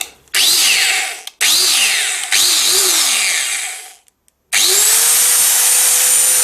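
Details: Cheap angle grinder after bearing replacement to cure bad vibration: motor winds up quickly to a clean, steady high whine, running evenly with no grinding or rattle; runs better than before.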